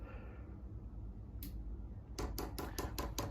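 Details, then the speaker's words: Chinese diesel heater installed in a Transit Jumbo camper, put in priming mode from the controller: crisp, even ticks about five a second as the dosing pump primes normally, pulling fuel through. "And now you'll hear the pump start ticking, and that should be priming and pulling the full fuel through."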